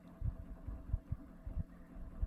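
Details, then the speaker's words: Weiye (Skyri) 17-inch USB ceiling fan at low rpm, after a repair that cured motor clicking: quiet low hum with soft irregular thumps coming from the poorly isolated top mount; the motor itself is quiet and running normally. "and this is a quiet fan you have to keep that in mind it's a ceiling fan too and some of that noise you're hearing is actually coming from the mounting system up top because of the poor noise isolation up here"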